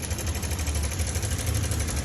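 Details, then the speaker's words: Honda Click V2 scooter, 64,000 km, idling: fast, rough clatter over the low drone from a failed cam chain tensioner and a damaged camshaft bearing. "Pinalitan natin ng tensioner, tapos cams kasi may tama na yung cams bearing na ito kanina."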